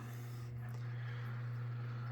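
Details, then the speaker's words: 2001 Sportscast Budweiser 42-inch three-speed ceiling fan on low: steady low hum from the motor. Something is loose, maybe the globe; bearings are noisy after sitting dormant 20+ years. "so here on low this thing's got quite a hum to it something's loose I'm not sure exactly what it is probably just the globe still got a hum to it though on the motor"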